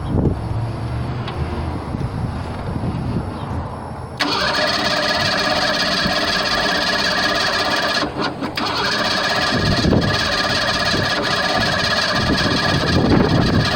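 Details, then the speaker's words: 1987 Ford Bronco II 2.9 petrol engine after distributor work: a few seconds of uneven cranking before it catches and settles into a run; fuel-wet, flooded spark plugs made it hard to start. "so it's crying but because the sparklers are so wet they're hard to start"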